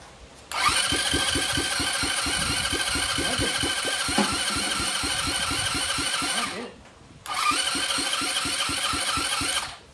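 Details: About 2007 Dazon Raider 150cc GY6 go-kart: the starter spins two long bursts, about three to four turns a second, with no firing even with starting fluid sprayed. Intake boot leak suspected; not flooded; choke cable possibly broken.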